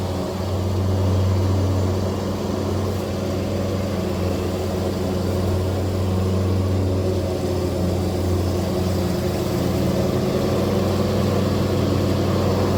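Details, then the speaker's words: John Deere zero-turn mower, blades engaged after removing and refitting the blades: a steady, even drone with no ticking or scraping; the noise is gone. The owner suspects a slightly bent, warped or worn left spindle caused it, not confirmed. "foreign that was our entire freaking issue and you may have this issue someday too"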